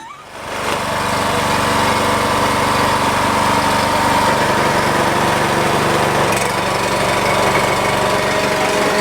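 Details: Husky 3650 generator bought for $50 idles with a steady, even drone, no hunting or surging; it had previously run wide open instead of idling.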